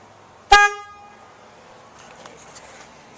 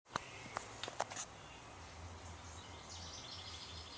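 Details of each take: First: 2003 Honda Element after horn replacement, front bumper refitted: one short clean steady low-tone honk, no rasp; much better than the weak old horn though not very loud. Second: 2003 Honda Element stock horn, weak thin nasal goose-like honk in two short blasts with little punch, too quiet for traffic; owner replacing it after one and a half years of ownership.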